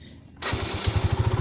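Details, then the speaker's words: Used motorcycle on its center stand, checked before purchase. A quick starter whir, then it catches and settles into even firing pulses around ten a second; smooth and healthy, with a slight tensioner tick that fades after a few seconds. "dan dan kita dengarkan suara mesinnya Apakah ada suara yang kasar atau masih halus suaranya di sini suaranya cukup halus"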